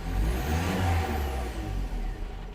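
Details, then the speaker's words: 2015 Vauxhall Vivaro 1.6 CDTi diesel: revs up cleanly, then cuts out sharply at the same point, as if fuel were cut; it does this at about 2500 rpm cold and 3000 rpm hot, stationary or driving. "Yeah. As soon as the needle reaches that point, it just gets out straight away."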